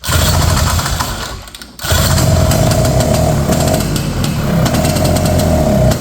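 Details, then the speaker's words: 1970 Ski-Doo Olympique 335 snowmobile from auction, carb jets being adjusted: two-stroke burbles unevenly, sags almost to nothing, then picks up; way too rich at idle, owner suspects leaking carb diaphragms and check valves. "Okay. Then I come back down to the idle and it's running way too rich. So basically, I think what's going on is some of those little diaphragms in there and stuff I think are kind of leaking."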